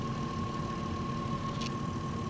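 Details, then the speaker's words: VW Touareg with a low oil pressure warning, being warmed toward 90°C with an oil pressure gauge fitted: quiet steady idle, soft low rumble, faint constant tone, no lifter ticking; oil change overdue by 10–15k km. "grzejemy go silnik generalnie Chodzi perfekcyjnie nic się nie dzieje cichutko żadne szklanki nie cykają Nic się kompletnie nie dzieje"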